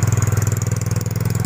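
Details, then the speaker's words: Yamaha Mio GT automatic scooter idling too high before idle adjustment: fast, even single-cylinder beat around eighteen pulses a second, rear wheel spinning at idle; high idle speed. "tuh coba dengar suara mesinnya guys bangsanya langsung naik guys enggak aja Putar nodanya langsung berputar"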